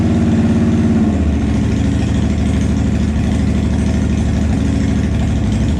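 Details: 2007 Honda Shadow Spirit 750 V-twin, first start after installing Cobra Streetrod Slashdown exhaust: deep lumpy rumble, drops from a blip back to even idle, no ticks or misses; healthy idle and revs.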